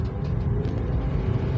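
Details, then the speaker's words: Manual car driven in 2nd gear: engine roars under heavy throttle but the car pulls slowly with weak acceleration; worn, slipping clutch lining. "Jadi gasnya gede tapi kecepatan mobil ya seperti kurang tarikan gitu ya. Loadingnya lambat untuk menarik ya. Jadi tarikannya lambat."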